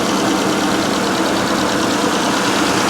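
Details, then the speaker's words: Car at an auction, no working clutch, transmission possibly gone: steady, even idle hum with no lumps or surges; engine runs well. "ah the engine sounds good the brakes feel good the steering feels good it's got good tires and a good body there's just no clutch"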